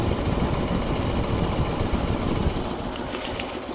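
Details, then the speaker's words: 1967 Lincoln Continental convertible V8 after an ignition coil replacement and a fix for sparking plug wires: an uneven idle with a rapid puffing tick and hiss, an exhaust manifold leak, left unrepaired. "as you can hear we definitely have an exhaust manifold leak we are not going to do that today"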